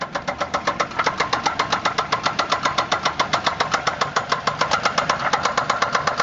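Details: 2004 Grand Prix GTP CompG, topswapped XP-cammed L26 V6 with 1000 km on the setup, idling: sharp rapid steady knock, suspected spun rod bearing.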